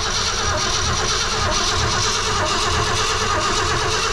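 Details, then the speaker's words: 1966 Ford Fairlane 390 FE V8 4-speed, rebuilt Autolite 4100 carburetor run dry; starter churns steadily about one beat per second without catching while the pump fills the carburetor; extended cranking, no start yet. "All right, got to get it to the carburetor, so that's got to keep going until it fills the carburetor up."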